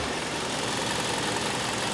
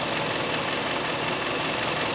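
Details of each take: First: 2006 Hyundai Sonata 2.4L after repairing a vacuum leak that set lean-at-idle code P2187: steady, even idle with a constant hiss and no stumble, surge or whistle; normal idle. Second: 2006 Hyundai Sonata 2.4L with P2187 system-lean-at-idle code: spraying carb cleaner at the intake manifold gasket where it meets the head makes the idle stumble and misfire with an uneven, lopsided beat; vacuum leak at intake manifold gasket.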